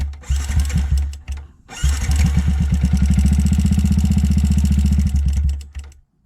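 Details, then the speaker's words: 2009 Yamaha YZF-R 125 with full Leo Vince exhaust, starting after a breakdown: single-cylinder fires after a few tries and runs with a loud metallic clatter over the thump. "Donc il y a juste un énorme bruit dans le moteur, donc je vais essayer de voir d'où ça vient."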